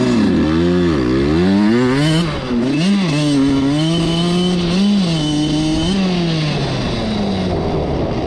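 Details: Suzuki RM85 two-stroke dirt bike after wheelies: revs climb, then sag and stumble repeatedly under throttle, so it bogs; the owner suspects the carb, but this is unconfirmed.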